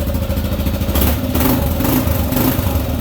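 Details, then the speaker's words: 2018 Kawasaki KLR 650, 651 cc single-cylinder thumper with Leo Vinci exhaust, throttle blips at idle: deep thump picking up cleanly on each blip and settling back evenly, dirt-bike-like, not obnoxiously loud; a normal healthy exhaust note. "You can hear the thumper in the motor. Why they call it a thumper, because it is a single cylinder, but you can hear that pumping like that. Sounds like a dirt bike."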